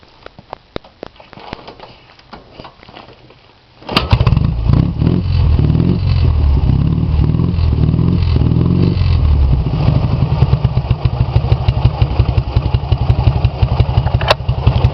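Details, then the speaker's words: Ural 650 twin upgraded with 750 heads, forged pistons, Herzog gears and a 10:35 final drive, 9,000 km on this setup, with mid-90s Harley Softail pipes. Starts, then settles into an even, steady, low-pitched idle; runs smooth and healthy. "As you can see, it runs really good, like a BMW or better. You just have to do right modifications for it to run properly."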